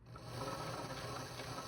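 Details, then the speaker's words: Singer 533 sewing machine after cleaning dust and debris from the bobbin area: steady, even whir with soft regular tick, no grinding or clatter; normal running. "It's already a lot better as you can hear."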